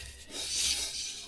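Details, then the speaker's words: Sunbeam Imp drum brake after adjuster is backed off from locked: light hiss-like rub swells and fades as the drum turns by hand, no heavy scrape; drum now spinning freely. "So, what I'm going to do, I'm just going to turn it back very slightly till it starts spinning. Yeah, that's spinning nice and free."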